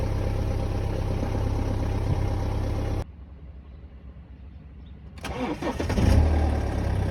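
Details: 2011 BMW 318d N47N diesel on a cold start: cranks and catches with a light clattery rattle from worn timing chains, guides and tensioner; newer 24mm tensioner rattles at cold start only, not when revving.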